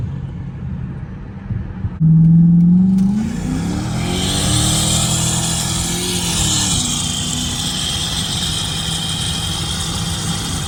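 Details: 5.7 Hemi Dodge Charger/Chrysler 300 at startup after the warped passenger-side exhaust manifold was resurfaced and refitted with a new gasket and replaced broken bolts. Engine catches, revs once, then idles smoothly with no ticking or puffing: normal idle, no leak.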